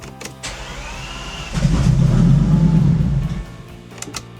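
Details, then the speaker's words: Bentley Continental GT unused since 2017, after previously refusing to start: engine catches and revs for about two seconds, then sags and fades; won't run at low revs or idle. "I mean, I mean, it still doesn't start and it doesn't work on low revs, but I mean, look, look at this. It wants to work, but it doesn't."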